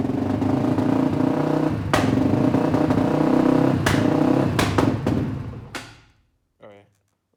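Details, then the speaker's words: 2004 Polaris Predator 500 single-cylinder engine, started with a little choke during rebuild, runs rough and uneven, surging erratically before stalling; battery cable wasn't fully on, causing poor running; owner suspects a relay also involved. "battery cable wasn't quite on there all the way, that's why it wasn't running quite right."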